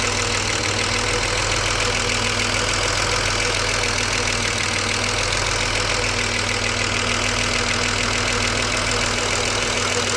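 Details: BMW 635CSi E24 with the air hose refitted to the throttle body after rough idle investigation (ICV); warm at about 80% operating temperature, restarted: steady, even idle with no stumbles; warm starts fine; earlier it shuddered and stalled on throttle.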